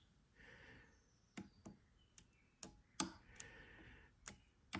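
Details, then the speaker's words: Porsche 968 cabriolet starter motor bench-tested by bridging terminals from fresh battery: only sparks and a few sharp clicks, no motor whirr; starter motor failing to spin. "Nothing. So I'm getting sparks, but I'm not getting any. I can hear it wanting to click."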